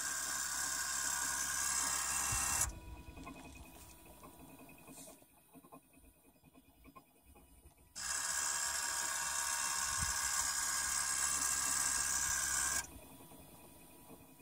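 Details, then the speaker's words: 2008 Toyota Prius in park, accumulator pump cycling on and off during brake bleed: two bursts of high thin pump whine about five seconds each, a faint high chirp trailing each cycle, slightly heard at the rear wheels; cause not pinned down. "there's also an interesting like high-pitched chirping noise hopefully you can hear that after the accumulator pump"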